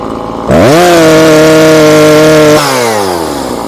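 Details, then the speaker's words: Husqvarna 340 chainsaw after carburetor diaphragm replacement, high-speed screw opened 1/4 then another 1/4: at full throttle climbs quickly to a flat steady scream then winds down; sound shows screw must be turned in, mixture too rich. "Kuulla äänestä, että pitää laittaa kiinni päin ruuviin."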